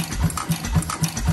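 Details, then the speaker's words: First run of a rebuilt 6 hp International Mogul on the gasoline bowl, with no muffler and no cooling water, crankcase covers just tightened. Slow, even chuffing about four beats a second with a puff from the rear crankcase breather; running normally, compression improving. "I just tightened up the two crankcase covers which you hear it breathing through that crankcase breather in the back"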